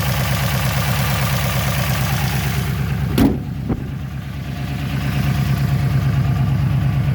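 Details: LQ4-swapped LS V8 with stage 3 truck cam, beehive springs, DOD delete and LS7 hydraulic roller lifters, idling with low oil pressure; fast even tick over the lumpy cam rhythm. Owner suspects low oil pressure causes the valvetrain tick, not confirmed.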